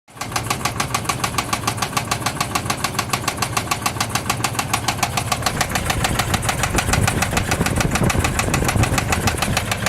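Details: 2004 Dodge Durango 5.7L V8, truck down two months: loud, sharp, steady ticking on top of the idle; cause unknown.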